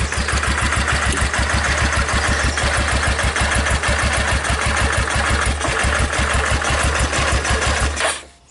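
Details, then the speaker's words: Wrecked 2005 Yamaha Kodiak 400 4x4 ATV, first start on starting fluid after recoil repair: single cylinder thumps at an even, quick beat about eight seconds, then shuts off cleanly; no bad sounds or smoke, normal idle. "it runs i like that that's a good thing"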